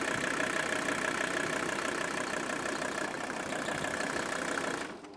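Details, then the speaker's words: Mercedes 300D with the OM617 turbo diesel after new tuned fuel injectors were fitted, with the idle turned down. Steady, even diesel clatter at low idle with no misses or knocks; smooth, healthy idle. "this is unbelievable look at that and we've even got it idled down I know I'm going to have to do something about this but at this point this is one amazing turbo diesel"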